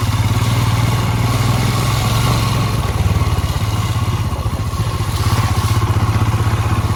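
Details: Royal Enfield Himalayan, ridden for about a year: a thumping, uneven clatter over the low engine rumble, with no clear squeal. The annoying brake noise occurs in every weather, not only rain or off-roading. The cause is unconfirmed.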